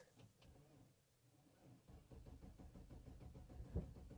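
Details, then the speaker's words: 2004 Cadillac Escalade, 6.0L LS engine, sitting unused since October, check engine light on; brief quiet cranking then it catches and settles into a steady low rumble, a normal start after storage. "Oh, and it started. I knew it would start. I mean, I did move it here, but it has been sitting for, well, since October."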